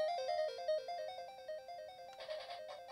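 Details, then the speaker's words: Sega Game Gear with batteries installed, first power-on test: clear chiptune melody from the small speaker, no crackle, buzz or dropouts; speaker working normally, game runs. "yeah the speaker works but does the game work sounds good so far"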